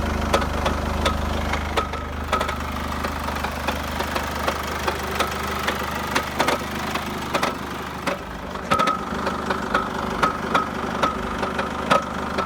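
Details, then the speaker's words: Chevrolet Captiva 2.2 diesel at idle: steady hollow knock about twice a second, loud at low rpm and gone with more revs, coming from the sump area; aluminium shavings in the oil pan; cause found to be a cracked flywheel. "и стук в двигателе вот наконец-то нашли вот она трещина маховике вот она показывает"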